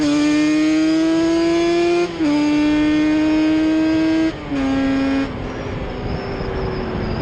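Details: Yamaha Banshee two-stroke twin ATV on a ride after misfire chase (new plug caps, coil swap didn't cure it): carb needles moved back to middle position, crisp howl climbing smoothly each pull, no stumble or popping; miss gone, running normally.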